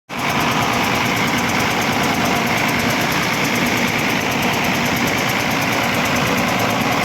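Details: Ashok Leyland BS3 diesel engine, Hino type: loud, rough idle with a steady fast chuff over the clatter; a loose manifold nut is found, to be tightened before the engine is rechecked.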